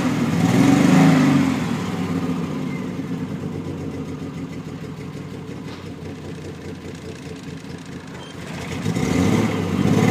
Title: Triumph TR6 - Misfire Failure